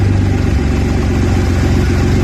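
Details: Audi A4 B7 3.2 when cold, a recurring complaint: low idle with an uneven, lumpy beat that rises and dips instead of holding smooth; rough idle, cause not evident.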